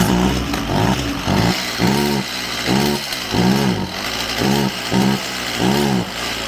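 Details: Stihl MS192TC chainsaw that starts easy but bogs when given gas, with a squealing clutch, run with a new spark plug and the air box off: a low, uneven run surging about once a second that never revs cleanly; still bogging, no change.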